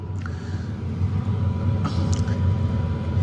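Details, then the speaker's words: BougeRV portable diesel heater a few minutes into startup cycle: low steady burner rumble with faint constant fan whistle, even combustion, blowing warm air by about 6 minutes; running normally. "So be patient, but she will fire up and start blowing some heat. And oh yeah, she's definitely getting warm already."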